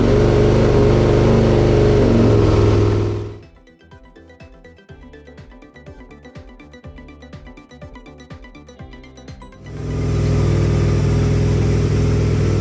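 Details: 2002 Aprilia RSV V-twin first start after service with fresh oil and filter: steady even idle with no ticks or knocks; engine healthy.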